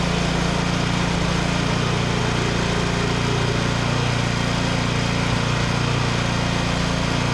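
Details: Vintage Onan Pro6000E generator, Elite 140 OHV 12.5 HP engine, refired after fuel-system cleaning and flashing the field at 12 V, unloaded; even steady drone with no misses, knocks or surging; engine runs smoothly despite earlier zero output volts.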